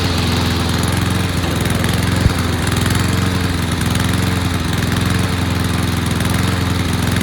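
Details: Toro lawnmower model 20370, curb find with reportedly dirty carburetor, running on fresh gas after reassembly; steady, even low drone with no misses or surging, engine runs smoothly and sounds healthy; normal running.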